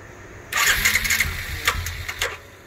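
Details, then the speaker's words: 2012 Suzuki King Quad LT-A400F cranking: brief uneven whir that never catches; rebuilt All Balls fuel pump gives only 16-18 psi versus 42-43 psi required, so it won't start or idle. "but the most fuel pressure i can get out of this all balls pump is about 16 to 18 psi the machine simply won't idle there's not enough pressure"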